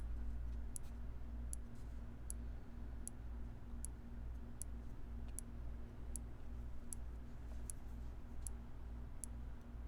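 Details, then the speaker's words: Dead Tandy 1000 computer power supply, mic placed inside; sharp regular ticks roughly every 0.77 s over low hum, not starting, possibly sparking while charging or clicking from lack of load, unconfirmed. "i don't know if that'll have come across uh clicking can be caused by lack of load is it can it"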